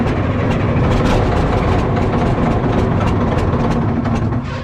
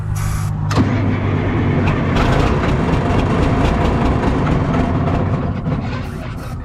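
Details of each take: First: Cat 977K track loader diesel, with a small exhaust leak feeding the intake, started after cleaning the fuel filter and priming: catches and settles into a deep, steady rumble, no stumble or knock; normal start and idle. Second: Cat 977K track loader diesel being looked at for purchase, started with starting fluid after brief cranking: fires, sags and nearly dies before catching again; uneven running, owner thinks it is starving for fuel.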